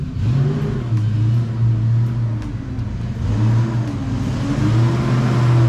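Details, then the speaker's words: Wife's Mustang GT V8 with a BBK off-road X-pipe, after an exhaust manifold leak from hitting a cinder block at 70 mph was fixed. Deep, smooth rumble rising and falling with the throttle, with no ticking or puffing; the exhaust sounds sealed. "i did check the other side other side was good no exhaust leaks i'ma clear the code card should be fine"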